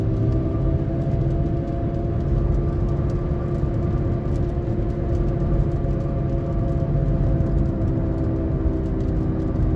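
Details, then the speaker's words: Saturn Vue 3.5L V6 AWD (Honda J35 engine) driving: steady droning hum from a failing wheel bearing, apparently at the front, starting around 25 mph and growing louder with speed, briefly louder when lifting off the throttle; silent in neutral or park. "And when it gets to around 25 miles an hour, it starts coming on, and then gets progressively louder."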